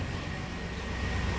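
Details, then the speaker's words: 1997 V8 work truck after replacing the non-delivering cylinder-two injector, heard at the tailpipe: even, steady exhaust rush with no stumble or popping; the misfire is gone. "I think it sounds way better let's go listen to that tailpipe yeah"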